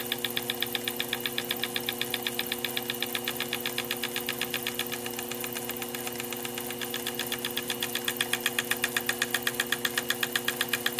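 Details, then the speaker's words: Sherline milling machine, edge finder slowly approaching the end of a steam-engine piston workpiece to locate an edge before drilling; sharp, even clicking about 158 a minute over steady spindle hum as the tip wiggle slows and kicks off the part. "I already see it slowing down a little bit right there I'm hearing that banging noise"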